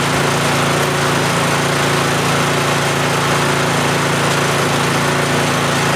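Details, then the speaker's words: Yardman (MTD) snowblower with an LCT engine that sat for years, no-start fixed by dumping the carb bowl and flushing the tank: steady even buzz at 3400 rpm with no misses or surging while old fuel burns off the muffler. Runs fine. "it runs it's alive 3400 rpm just fine should be okay"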